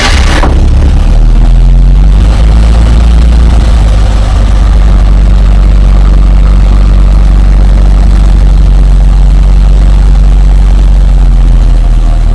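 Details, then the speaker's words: 1947 Dodge pickup idling after a cold start following carburettor fixes for fuel-supply and hard-starting problems: deep, steady low rumble, even beat, no misses or surging; owner thinks it sounds possibly better than ever. "I think we are on the right truck thing sounds possibly better than ever"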